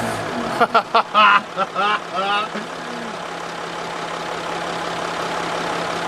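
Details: 1954 Ford Crestline Skyliner after the points gap was opened: starter grinds in short bursts, engine catches briefly then runs weakly and unevenly before dying; carburetor rebuild thought needed.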